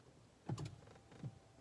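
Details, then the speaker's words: 2014 Toyota hybrid that won't start, brake pedal very stiff, lights dead, a small motor buzzing nonstop: soft dull clicks in quiet cabin when brake pressed harder, no engine sound. "press down on the brake a bit harder and then this clicking starts"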